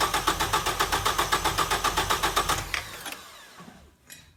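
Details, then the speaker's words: 1989 Ford Probe GT Turbo with no-start issue, after installing a new fuel pump with six gallons in the tank: even starter cranking about four turns a second, then it catches and runs. "oh she's running that's weird"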